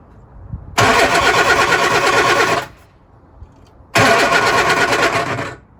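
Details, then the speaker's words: Lotus Elan cold start after a week unused, on a damp morning, using choke and easy start: two bursts of steady cranking of about two seconds each, with no catch. Owner suspects fuel pressure bleeds back from the lines and is considering an electric pump; cranks, no start. "Yeah, I think it's definitely the fuel. Maybe I need to think about getting electric fuel pump. I know this is a common problem with these engines."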